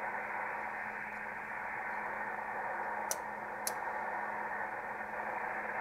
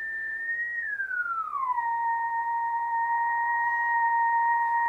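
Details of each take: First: ICOM IC-751A ham transceiver after the PLL adjustment, with an RF generator signal injected near the antenna input at 11 MHz. No clean tone comes through, only harsh hissing mush with a faint low hum; the audio is still distorted, so the fault is not the PLL adjustment. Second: ICOM IC-751A transceiver after PLL trimmer replacement and readjustment: a generator signal near 23 MHz gives a pure whistle-like tone that glides down, then holds dead steady. The PLL is locked and stable, where before there was only ratty noise.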